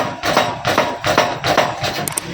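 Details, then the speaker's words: 2023 Honda CD70 motorcycle, front end pumped: sharp hollow clunks about every 0.4 seconds, the front fork (shock) knocking as over bumps. "दोस्तों क्या आपके भी मोटरसाइकिल के शाख आवाज़ करते हैं? जैसे आप जंप पे जाते हैं खटक खटक की आवाज़ आता है,"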